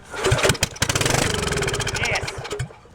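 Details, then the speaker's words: Gravely Pro 50 walk-behind with a replacement engine that filled with rainwater outdoors, dried out and primed with squirted gas, exhaust off: cranking breaks into a few ragged firing pops for a split second to a couple of seconds, then fades; it runs only on primer fuel. "it was really good to hear that thing kind of run on its own for you know split second there"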